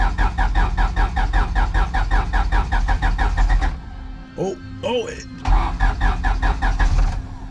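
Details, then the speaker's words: Turbo H2B car with a newly installed distributor, cranked on a battery jumper. Steady starter cranking at about two and a half beats a second, twice, with no firing. Cranks but won't start. "oh my god it's gonna start oh why why why won't it start oh my god it's almost"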